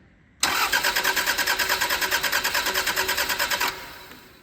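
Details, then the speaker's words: 1990s Toyota Celica barn find, not run for ten years: the starter turns the engine evenly at about three beats a second and it smells of fuel, but it never fires. No spark found; old distributor and rotor suspected, not confirmed. "It's turning over. And that's a fantastic thing. It's stinking of fuel. It's turning over without any particular issues, which is great."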